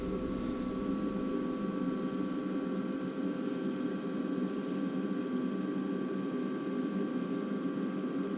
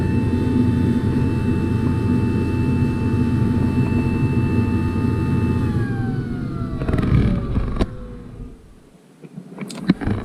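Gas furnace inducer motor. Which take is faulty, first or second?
second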